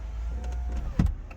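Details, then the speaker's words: C5 Corvette after replacing the driver door control panel, key in accessory: a low motor hum, then one firm clunk as the door lock throws cleanly, with no grinding or stalling; the lock works normally. "locks. Perfect."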